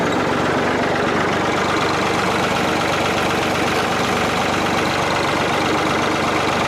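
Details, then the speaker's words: Old piece of equipment running after tightening work: engine chugs at a steady, unhurried beat with no knocks or grinding, sounding the way old equipment should. "all right yeah like my rat killing the way a old piece of equipment's supposed to sound"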